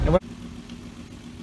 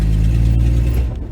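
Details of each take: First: 1966 Dodge Dart GT, Slant Six 225, driving on wet road after resetting ignition timing that had been far advanced (about 20–25° BTDC); low even drone with no misses, pops or stumbles, running much better. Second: 1966 Dodge Dart GT, Slant Six 225, automatic, on a short test drive: low heavy drone sags and stumbles as throttle comes in; engine bogging, owner suspects timing or carburetor accelerator pump, unconfirmed.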